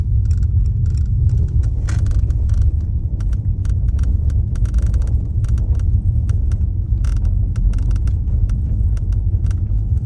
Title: Mercedes-Benz S63 AMG Vorderachse und Armaturenbrett klappert